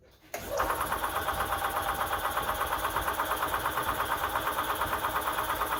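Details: 1998 EZ-GO TXT gas golf cart, bought as non-running and repaired: quiet, then catches and settles straight into an even idle of about three soft pulses a second, smooth and steady with no knock.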